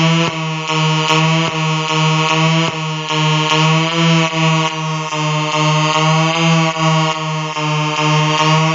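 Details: Colour-changing LED bulb on 4.5–6 V DC batteries: loud low electrical buzz swelling and dipping about every half second as colours cycle; interference buzz from the LED driver.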